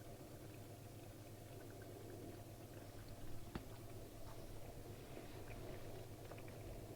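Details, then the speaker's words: Hotpoint 6834 dishwasher, over 20 years old, after drain-pump repair for not draining, pre-wash: second fill, gentle trickle and faint gurgle into the tank, no hiss, spurting or leaks; normal fill. "there's certainly no leaks there anyway as you can see fill number two which is now trickling into the tank"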